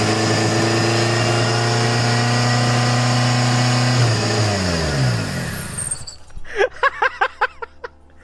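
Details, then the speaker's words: Zetec turbo van, third start: steady, even idle with no knock or miss, then revs fall away at shutdown with a few clicks; everything working as it should; normal idle. "It sounds insane, and everything's working as it should, which is all right."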